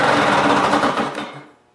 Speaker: i'm just going to start it up and stop it right away so you guys can hear the sound of a two-cycle engine on the lawn mower